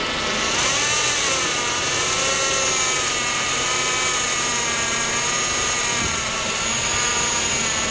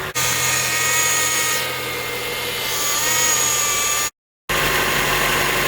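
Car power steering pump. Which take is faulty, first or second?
first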